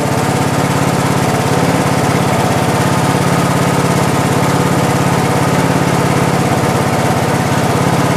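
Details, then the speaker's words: Craftsman lawn tractor, first cold start of the season with choke on: fast, steady putter with even beat and no misses or knocking; runs healthy, though owner notes slight oil use and suspects valve cover gasket leak. "sounds good all right let's go for a little test drive"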